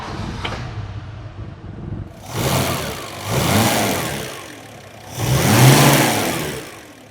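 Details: Aston Martin DB5 after running adjustments: engine blips up three times and settles back each time, pulling cleanly with no knocks or misses; normal, healthy revving.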